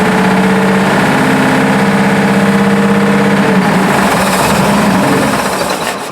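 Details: Buick idling roughly with a regular tapping knock, about three a second, before it dies, despite 42 psi oil pressure; owner first suspected lifter or rod knock, but the valve cover is striking a rocker arm.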